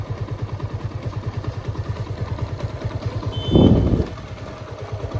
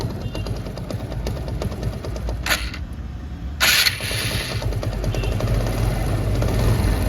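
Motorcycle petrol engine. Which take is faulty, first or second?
second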